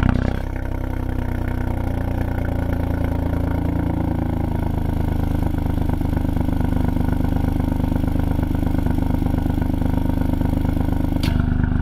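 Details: 2020 Ford Fiesta MK8 ST with Scorpion GPF-back exhaust, before the fix, at cold-start idle: dull buzzing rattle over the exhaust note from a loose vibrating exhaust valve flap.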